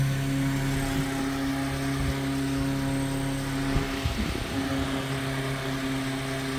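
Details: 1930s Robbins & Myers vintage fan, fully reassembled after restoration with new wiring, plug and screws: smooth, steady motor hum with an even low tone and no ticking, scraping or brush chatter. Normal running.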